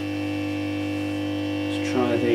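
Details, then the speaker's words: Marshall Valvestate S80 guitar amp: steady low mains hum with no pitch change, heard when reverb is turned up because the reverb tank is disconnected and hanging loose; the hum was traced to the reverb. "the hum was the reverb so if you have a listen look the reverb of course is disconnected it's hanging out over here so turn the reverb up can you hear that hum"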